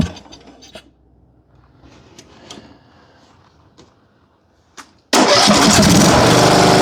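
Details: John Deere riding mower with Briggs & Stratton engine that previously would not start: after quiet, the engine catches at once and settles into a steady, even run without misfire.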